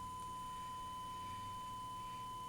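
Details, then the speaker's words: 1968 Panasonic RE-7671 AM/FM receiver, germanium amplifier fed a 1 kHz sine test tone, right channel: steady pure single-pitch tone without hum, buzz or crackle, clean output, unlike the distorted clipping left channel. "let me go back to the other channel much cleaner and clearer that sounds"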